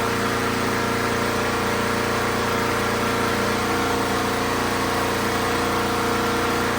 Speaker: Well, there you have it, folks. We got a running lawnmower now in the Casa Bordella over here in suburbia.